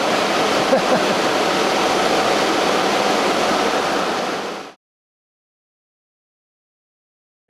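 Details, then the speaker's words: Newly fitted electric engine cooling fans on Project Awesome, engine off, temporary 24 volt feed, thermostat set to ambient on a hot day: steady even air rush about five seconds, clean stop, no rattle; normal. "I should be able to down the thermostat right away down to ambient temperature and then the fans will kick in"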